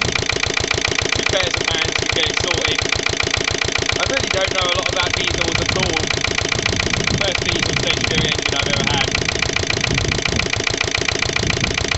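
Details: Lister LD1 diesel on a chilly 5–6° morning after a fuel filter change: hard uneven knock about three or four beats a second, stumbling under load near stalling. Rough running; owner suspects a fuel-line air lock or the pump.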